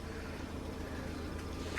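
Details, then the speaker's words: Peugeot 307 CC convertible, 2007, 2.0 petrol, just bought after sitting neglected, left running to charge battery: even, steady idle with low hum and faint thin whine the owner believes is normal engine sound; normal idle. "Otherwise, as you can see, it's idling still and she's idling nicely."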